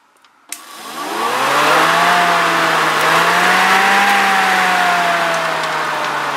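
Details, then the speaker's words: BMW 3 Series cooling fan wired straight to power, spinning up within a second to a smooth, steady whir; the fan runs properly. "he is just power and the fan turns on which which is fine"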